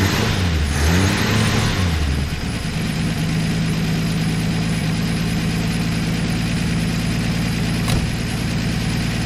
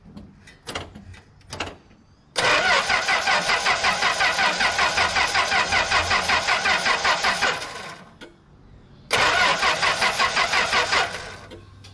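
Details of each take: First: 1964 Plymouth Belvedere slant six, three-on-the-tree, sat about 20 years, new coil wire, running on old bad gas: brief crank and catch, then a steady, even idle with no misses or knocks, not smoking much; normal idle. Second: 1964 Plymouth Belvedere slant six, three-on-the-tree, sat about 20 years: two long bursts of even starter cranking, about three turns a second, no firing; points cleaned, coil wire sparks, fuel filter new with pressure; cranks but no start.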